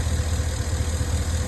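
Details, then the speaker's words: 2011 Cadillac Escalade, 6.2L V8 with AFM, 178 (thousand) miles, being treated for lifter tick; oil has been cleaned out of the intake manifold. A deep, steady idle rumble with an even beat and a slight shake, no ticking or misfire, and no codes. "the engine does have a slight shape but I'll take that that's okay"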